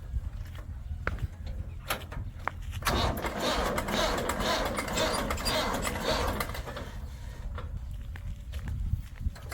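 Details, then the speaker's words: Tractor with a clutch plate still stuck after trying the mechanic's brake-pedal trick, cranked in second gear (forward). One heavy turn, then only sharp isolated clicks with no cranking; the starter won't turn it, the battery is not taking the load. "ये घघ एक बार तो किया और अब अब कर रहा है किट किट आप देखना बस इतनी सी आवाज कर र है सेकंड गियर में तो भाई सेलफ नहीं ले रहा"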